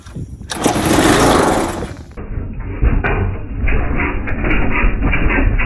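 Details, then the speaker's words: Rebuilt pressure washer small engine with a leaking intake manifold, run on starting fluid after a small stick was cleared from the carb: sputters unevenly without settling; fuel starvation, fuel line disconnected from carburetor. "Look, it's kind of hard to have fuel flow into the carb when the carb's not connected."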